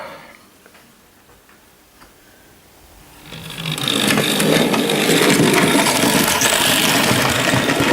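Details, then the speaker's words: Hornby Dublo LNER N2 tank locomotive, the third engine tested: quiet for three seconds, then a loud buzzing, rattling drone with fast regular chatter; just a noisy motor maybe, cause unconfirmed. "this third one is just a noisy engine Maybe"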